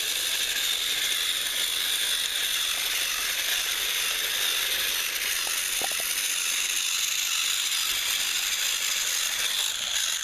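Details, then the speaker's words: Repaired TrackMaster Salty toy engine, once seized and only buzzing weakly, final track test pulling slide-door vans: thin, high gear whir that stays steady throughout. The motor pulls its load evenly, if a touch rough. "Let's see if he can go. And there he There he goes. He is moving."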